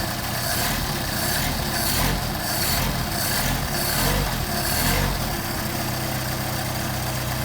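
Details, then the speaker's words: Engine with freshly rebuilt pair of Solex carburetors, cold start on choke after sitting a couple of days: cranks in uneven bursts then settles into steady even running; clean cold start. "I guess we might as well hit the switch and choke it, and let's see how this thing turns over after it's been sitting for a couple of days."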